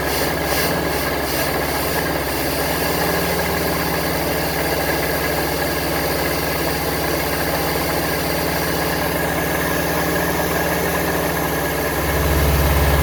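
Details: 1974 Honda Civic series 1, 1.5 L carbureted engine, project car, idling with the choke on: catches and holds a fairly steady idle with an even low drone and no knocking.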